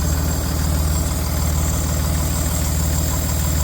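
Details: Range Rover Sport L494 at idle: steady high whirring hiss over an even idle. It seems to come from underneath, near the catalytic converters, toward the left side. Cause unknown.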